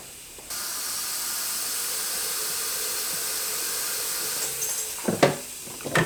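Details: Porsche 996 Turbo, engine off, intake pressurized with shop air, intake opening plugged with a taped fitting: steady high-pitched hiss for several seconds, then handling clunks; boost leak, source not pinned down.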